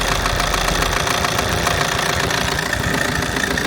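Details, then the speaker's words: Car idling evenly with a steady low pulse and no misfires or knocking, after a DIY windshield wiper mechanism repair; voltage regulator and battery were also suspected. Running normally now and probably ready to drive away. "Nii et praegu seisuga on kõik super. auto töötab, tõenäoliselt võib selle auto ära viia siit."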